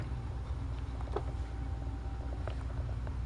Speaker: you can hear it humming and on six volts it's nice it's a little high but i mean it's not gonna hurt anything